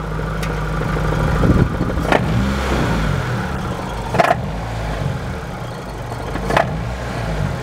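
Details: Engine revving with occasional sharp knocks, diagnosed as a flywheel (flexplate) issue on an automatic transmission.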